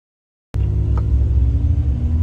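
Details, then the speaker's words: Old truck with over 300,000 miles on a brake-check test drive: a deep, steady low growl under the engine rumble as it rolls to a stop. Technician is sure it comes from the rear brakes. "It doesn't sound great when it comes to a stop. You can hear growling noises. Something's coming out of the back brakes, I'm sure."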